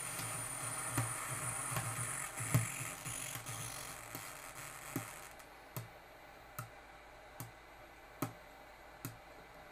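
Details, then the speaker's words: Peachtree Audio Grand Integrated X1 stereo amplifier with a fault on the right channel, after heating the caps on the right amp board: harsh distortion then clicks about once a second, no audio; the left channel is fine. Uploader suspects the digital processing controller failed. "oh dear i just get total distortion no audio at all out of the right channel but the left channel sounds perfect so that's the left channel and you can still hear the right channel clicking"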